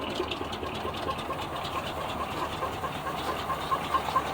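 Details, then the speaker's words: 1976 GMC Sprint after years stored in a barn: faint, ragged idle on poured-in fuel with hissy exhaust puffs and light tapping, blowing stuff out tailpipes; engine runs, definitely a runner. "it's running running on what i poured in there blowing stuff out the tailpipes so she's definitely a runner"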